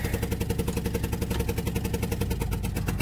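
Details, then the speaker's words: 1997 Dodge 2500 12-valve Cummins, cold start in snow, not plugged in, possibly cracked head: fast regular ticking keeping pace with idle over low engine rumble; leak or valvetrain tick, cause unconfirmed; low coolant warning shown. "But as y'all can see, it does run. It don't sound real healthy. But it does run."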